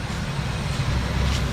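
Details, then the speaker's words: 1965 Mercury Montclair Breezeway V8 running after first start in 16 years (on third attempt, after checking oil, points, condenser); deep steady even rumble, no misses or knocks, slight skip probably as it's nearly out of gas; normal running. "let it leave it running until it cuts on itself off look at that motor i mean it's running"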